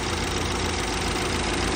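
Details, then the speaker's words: BMW 528i F10 at cold morning start, before any service: loud busy idle with fast rough ticking clatter, not present when driven in warm; engine shake also noted; cause not yet known. "แต่ว่าตอนตอนที่ลูกค้าขับมาเครื่องร้อนน่ะเสียงไม่ดังแบบนี้นะครับแต่พอตอนเช้าเราอุอ่าเราสตาร์ทเครื่องนะครับดังประมาณนี้นะฮะ"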